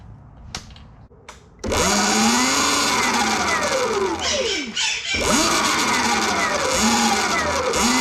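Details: Sur Ron/Luna XX electric bike after adjusting its primary drive belt, which came too tight from the factory and made a wah-wah sound: a clean motor whine that rises and falls smoothly with no slap, squeal or rubbing. The drive sounds healthy.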